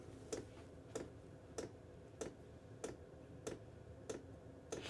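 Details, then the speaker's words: Chinese diesel heater, wall-mounted in a workshop, firing up after about two minutes: sharp even ticks about every two-thirds of a second, roughly 95 a minute, in a quiet room; normal constant dosing pump ticking. "this little tick in is constant you you there is things you can do you can place it somewhere where you don't need to hear it or you just put up with it"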